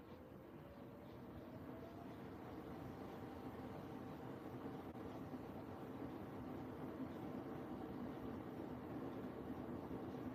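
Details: Washing machine on Cottons 60 program with a load of chef uniforms, entering spin: low even rumble with faint tone climbing as the drum speeds up, no knocking or scraping; slight cabinet rubbing noted, machine needing a small shift.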